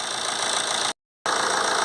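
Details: Vauxhall/Opel Insignia 2.0 CDTi started after replacing the cracked plastic EGR cooler vacuum housing that was leaking coolant, and refilling coolant: an even, steady diesel idle with regular clatter, briefly cut off. No rattles or hunting; it runs as it should.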